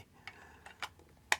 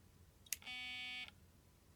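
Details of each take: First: Nikon SB-700 Speedlight after repair of drop damage, with the zoom motor's axle plastic bearing refitted: quiet, short, irregular ticks as the zoom head steps, no grinding, the zoom drive working normally. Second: Nikon Speedlight SB-700 after being dropped, held close to the microphone: sharp click, short high beep, another click, then an error on the display; zoom head stuck because the zoom motor axle's plastic bearing came out of place.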